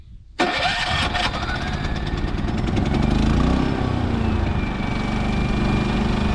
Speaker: ready for the second time it didn't even try to fire come on oh even second time come on this is why you should run them regularly the longer they sit the more stubborn they get come on